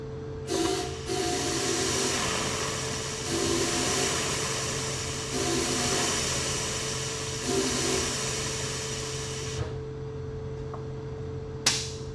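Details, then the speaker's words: 1974 Ford Bronco sitting over 16 years, main-tank fuel line to mechanical fuel pump blown through with air pressure in the tank: soft hiss surging through the line with a little vapor; line is clear. "We got a little bit of vapor coming out of there, but the main thing is that line is clear."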